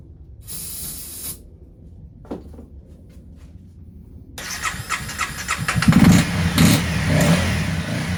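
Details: 2016 Honda CBR300R, 1,133 miles, parked seven years in an LA garage with a nearly empty tank; on fresh gas with additive and a jump pack it cranks in uneven pulses but never fires, no fuel pump whir: dead fuel pump.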